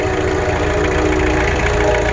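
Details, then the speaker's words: 1986 Isuzu Trooper 2.2 L C223T turbo diesel, first start after full rebuild (seized, sat since 2005): even idle with regular light clatter, no misses or heavy knocks; normal diesel idle. "engine installed and running great"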